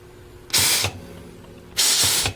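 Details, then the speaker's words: Chrysler 727 automatic transmission during final assembly air-checking of the low-reverse servo: two loud hissing bursts with faint hiss between; most of the hiss is a leaking air blowgun, the clutches and servos check good. "Most of the hissing is coming right out of this blowgun right here. It leaks."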